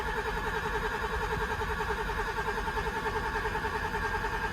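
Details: Develon DX225LC-5 excavator that won't start, with at least one injector stuck open and rail ports blocked, cranked to test high-pressure pump rail pressure (4 bar, wanting 278); even, quick starter beat, about three a second, no catch.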